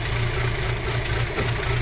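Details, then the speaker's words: Audi A4 B6 2.0 ALT engine, cold start, idle speed dropping: sharp, regular knock from the top end under the valve cover, near the two camshafts, phaser and chain. Owner suspects the cam phaser, a stretched or skipping chain, or a broken tooth; unconfirmed. "Эти удары идут с этой части двигателя под крышкой клапанов. Здесь у нас находится два вала. Здесь идет этот фазорегулятор, находится в этой части. И между ними идет цепь."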